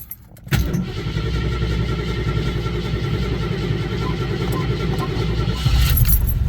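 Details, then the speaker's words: Restored 1990 Jeep Grand Wagoneer, rebuilt carbureted AMC 360 V8, cold start needing a gas pedal press; brief crank then a steady even V8 rumble with no misses or tapping, runs really good. "Took a little bit because it's got a carb. Got to hit the gas pedal. But this thing runs really good."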